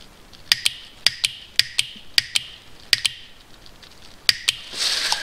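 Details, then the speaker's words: Mercedes 722.6 (722.624, E55 AMG type) transmission, about 170,000 km, valve body solenoid bench-tested on 12 V: crisp paired clicks about every half second, much quieter than another one; normal solenoid click. "you can hear it much less noisy than the other one"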